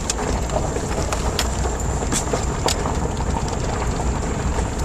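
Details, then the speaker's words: 1993 Ford Explorer 4.0 after replacing the radius arm bushings, driving over ditches: steady low road rumble with only light ticks and rattles and no clunking from the front end. "now when these are bad you can hear them clunking around when you go over something like these ditches no noise whatsoever just smooth this glass"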